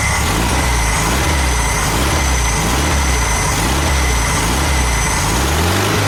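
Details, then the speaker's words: VW Super Beetle air-cooled engine, cold, just started with a trigger starter after reassembly and an apparently new carburetor: steady, even chug at idle with a regular beat and no misses or knocks. Normal idle. "it seems pretty good pretty good correct it's good that is I'm not selling it hey it's nice when things work"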